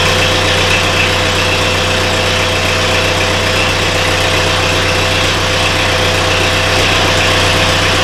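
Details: Mid-1970s International 2510B loader tractor, six-cylinder ~60 hp diesel, cold, after starter repair: smooth constant low drone with even beat and no irregular knocks; idling normally.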